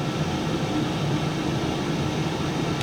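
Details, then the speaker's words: Cosori Turbo Blaze 6 L air fryer on air fry mode, fan at full speed: steady, even rushing whoosh holding constant level, not getting louder, no knocks or rattles; fan running healthy at full speed. "But it's not getting louder, and it is at full speed. It's at full chat."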